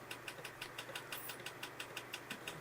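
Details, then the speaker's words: IBM 5170 PC AT floppy drive formatting after its stepper motor was lubricated (previously misaligning and re-seeking every track, marking tracks bad): crisp, evenly spaced ticks about six per second, head stepping cleanly track to track, now at track 72-75; normal. "And now it's already at 72, 75. Holy moly, this is going fast now. Oil definitely helped."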